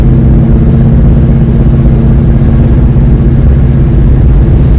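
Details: 1967 Dodge Coronet 440 big-block Mopar V8, revived after 20 years, new exhaust replacing open headers, heard inside while driving; deep even rumble, no popping or drone, fairly quiet with window up: normal exhaust note at cruise.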